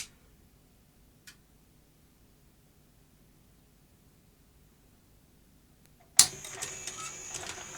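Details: Sony UVW-1200P Betacam SP player, cassette carriage half inserted at power-on after grease applied to carriage channels: near silence, then a short whirring, clattering burst as the carriage motor drives the tray; loading runs freely here, though it later jams again.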